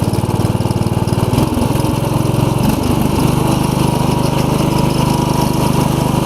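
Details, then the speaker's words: 1990 Craftsman riding mower, 15 hp Briggs OHV with 42-inch deck, after repair of gasoline-diluted oil, cleaned valves, a swapped cylinder head and a loose mounting bolt that shook it at idle. It starts without choke even cold; steady, even note as blades engage, no surging: normal running. "I'll do start up a little Drive and I'll turn the blades on starts right up usually don't have to even choke it to start it even when it's cold"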